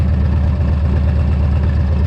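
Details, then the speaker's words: Harley V-twin after exhaust crossover pipe replacement, new brake caliper: deep, even loping idle with no knocks or misses; healthy, though oil seen leaking from carburetor. "But man, she sounds good, she's running good, everything's nice and tight, and"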